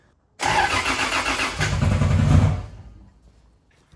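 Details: 2JZ-engined KE70 Corolla drift car after rebuild: about two seconds of rough cranking with no catch; cranks but won't fire, traced to a corroded connector plug, and it fired up once that was cleaned.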